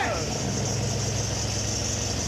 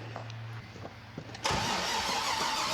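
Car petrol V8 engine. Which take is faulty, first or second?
second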